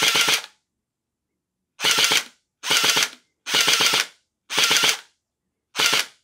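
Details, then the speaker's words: Splat-R-Ball SRB400/SRB1200 gel blaster with stripped plastic gears replaced by all-metal gears, tested on full auto: crisp half-second bursts of about ten shots a second with even gearbox cycling. "So you can hear the motor sound changes as you adjust the screw."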